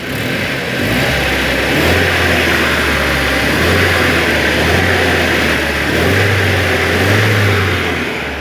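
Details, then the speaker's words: Freshly rebuilt ZMZ Pro engine, all new parts, compression 11.5 in every cylinder, before break-in, revs up and settles smoothly and evenly with no knocking or ticking; healthy motor. "Все. Мотор бәрі новый, как часы работают."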